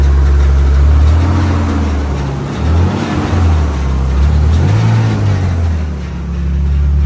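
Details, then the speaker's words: Car engine after draining bad fuel and refilling with fresh gas: deep, smooth idle with clean throttle blips, no stumble or hesitation; running healthy, better than on the contaminated fuel that made it run abnormally. "sounds pretty healthy sounds happy happier than it was with that shitty gas"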